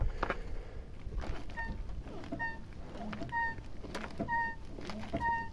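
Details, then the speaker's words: Volga 3110 with kingpin front suspension: rhythmic high squeak about once a second with each front-end movement; owner suspects unlubricated kingpins and threaded bushings, possibly worn tie-rod ends, plus a light knock; unconfirmed. "Всем привет Всем здравствуйте уже несколько дней донимает меня вот этот неприятный скрип"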